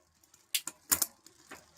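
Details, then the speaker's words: Bicycle with Microshift grip shifter after gear cable change, downshifting to fourth: two pairs of sharp metallic clacks instead of one clean click; rear derailleur indexing needs small further adjustment. "Bit of clickity clack noise, which is which is fine, but I would say there just needs to be a little bit more of adjustment."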